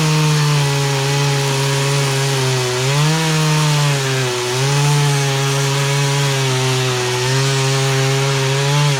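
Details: Poulan Pro two-stroke chainsaw, sat unused about three years, after carburetor adjustment, cutting small logs; strong clean buzzing pitch through the cut, dipping only briefly under load and recovering at once; running properly.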